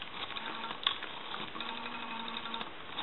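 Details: Brass elephant rotary telephone after dial was cleaned, adjusted, oiled and its mounting tightened: steady light whirring tick as dial spins back, even speed, no drag or hesitation. Normal rotary dial return.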